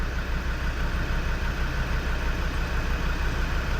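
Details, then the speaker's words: Land Rover Defender TD5 diesel after full service, warming up (engine known to run cool): even clatter at settled idle, about three beats a second, no misses or knocks; running a lot sweeter. "So, it's running a lot sweeter now. It's had a full service."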